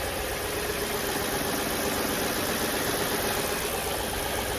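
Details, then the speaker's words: Crash-damaged Audi D2 S8 V8, first start in about a year: quiet, smooth, even idle after silicone spray on the crank pulley, which had been rubbing (shiny stripe) and made noise even with the belt off; pulley seating to be checked. "I sprayed WD silicone on that particular spot and it basically started running normally and quiet"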